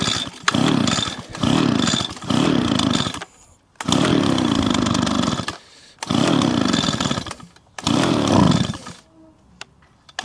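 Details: Small two-stroke leaf blower that would not start on bad pre-mixed fuel, first run after repair: bursts into a high buzzing run, drops to idle between blips and revs back up cleanly; runs normally, though smoky.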